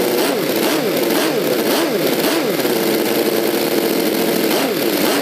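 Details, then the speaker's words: V8 model engine with rotary valve, with new 3D-printed aluminium exhaust manifolds and a manual servo-dummy throttle with an idle return spring: revs up and down in smooth, quick sweeps with a clean exhaust note; runs great. "guys it runs so great the throttle"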